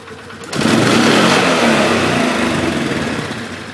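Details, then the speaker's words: 2011 Polaris Sportsman 500 HO after airbox/air intake modification, engine still somewhat cold: quick clean full-throttle blip from idle with no stumble; revs a bit higher and no longer hesitates. "Actually seemed like it revved up a bit better there. It does actually feel like it has a different RPM range."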